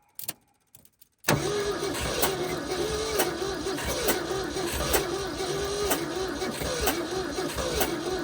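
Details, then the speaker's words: 1971 Ford F250 parked 30 years, jumper-wired at −15 °C, battery 11.8 volts on weak boost pack: steady starter churn with uneven loping beat, never catches; stuck valves suspected. "Sounds like it has some stuck valves. Here's some weird stuff going on there."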